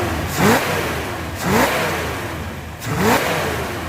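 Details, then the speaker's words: 1972 Chevy Corvette with a Bluetooth distributor running custom timing program number two: the idle picks up and smooths out. Three quick throttle blips rise and fall cleanly with crisp, responsive, healthy revving. "so this is really nice and listen to how nice oh it sounds so good it is so responsive"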